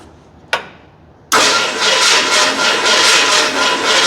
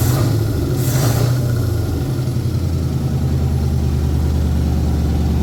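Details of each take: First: 1981 Ford Bronco with MSD Pro billet distributor, non-running project, first catch; click then irregular pulsing chuff, won't idle, ignition timing way out. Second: 1981 Ford Bronco 351 V8 first running after no-start: timing confirmed, fuel added, carb refitted on homemade adapter plate after backfire lifted it; deep, even burble settling to steady clean idle, no misses or pops; small resonator muffler.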